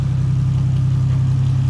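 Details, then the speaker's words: 2JZ engine at idle after the oil line was reconnected following a loss of oil pressure after an oil cooler/filter relocation; it sounds way better, steady pulse with a faint ticking puff from small exhaust leaks the owner thinks come from a warped manifold. "but it sounds way better all you can hear is like a little exhaust leaks that I got around here which I think the manifold is just warped"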